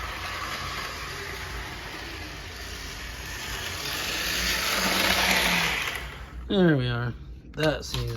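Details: Two-dollar HO gauge model locomotive, stiff and finicky until oiled: small electric motor whirring steadily with a few squeaky bursts near the end; normal running.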